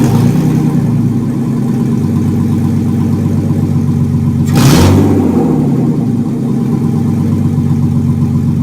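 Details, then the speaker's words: 1995 BMW E36 325i M50B25 donor engine run before a swap into a Mercedes 190E, exhaust removed so it fires straight from the headers, revved under 3000 rpm: harsh, raspy, very loud note with one quick blip. "[Music] all right you probably couldn't hear that but holy crap that was loud I couldn't even rev it past 3000 rpm because my neighbor came out and he's like what's going on"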